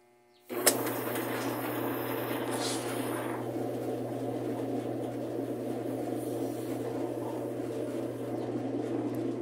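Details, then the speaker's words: Admiral heavy-duty washer, about 20–22 kg, after seal and bearing work, suspension springs not yet fitted, wash started by blowing into the pressure-switch hose: steady motor hum under constant churning swish; agitates normally, ruling out a transmission fault in wash. "cómo se puede ver si está alabando [Música] eso nos quita de encima que tengamos un problema con la transmisión"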